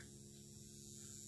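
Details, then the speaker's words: Xantrex XW 6048 hybrid inverter/charger (120V/240V 60Hz) load test powering a 70 W bulb: steady low transformer hum with faint high whine, no buzzing or crackle; normal under load. "so it's working perfectly you can hear the Transformers kind of humm"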